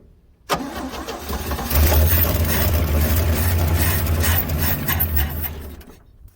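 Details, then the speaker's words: 1966 Chevrolet C10 after sitting unknown time, fed from a rigged fuel jug: starter spins engine at a steady slightly uneven two to three turns a second but it never catches; crank no start, fuel pickup suspected. "so it doesn't seem like it's picking up which i know i didn't give it a very long time there so we'll try it one more time"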